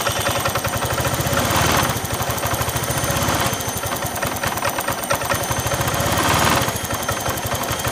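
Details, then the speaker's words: Honda Vario Techno 125/150 scooter idling after replacing the cam chain tensioner under the throttle body: even, steady idle with no rattle, the cam chain clatter gone; new cam chain is the costlier alternative fix. "ya suaranya seperti ini suaranya hilang ya jadi cara ngakalinnya seperti itu"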